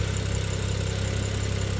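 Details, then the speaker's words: BMW N55 with misfires and suspected head gasket failure, idling about 20 minutes at operating temperature after adding head gasket sealer, not revved: deep even idle with steady pulses, no stumbles and no misfires so far. "So far, no misfires."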